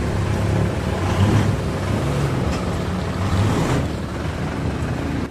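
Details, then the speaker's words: Mitsubishi Montero after rear brake pad replacement for noise from both rear wheels, hard stop test: low engine and tyre rumble through the stop with no squeal, squeak or grinding; the rear brakes are now quiet. "Nakita niyo naman mga boss pag nagpepreno ako kahit biglain ko, wala ng lumalabas na ingay dito sa preno niya."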